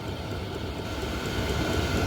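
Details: New 12V 2kW diesel air heater, running after starting right up, gives soft regular ticking over a low fan rumble; the fuel pump dosing normally.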